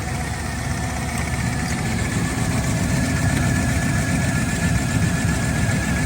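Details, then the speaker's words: Engine idling with a faint, uneven light valvetrain tick; a rear lifter is suspected but not confirmed; engine ticking at idle. "sounds like it's a back lifter. I don't know. Rev it up a little bit."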